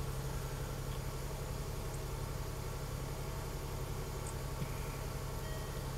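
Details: 2014 Range Rover Supercharged 3.0 with intermittent crank/no-start and start-stall, suspected restraints control module not communicating: low, steady hum with an even beat and no dips or stumbling; idling smoothly.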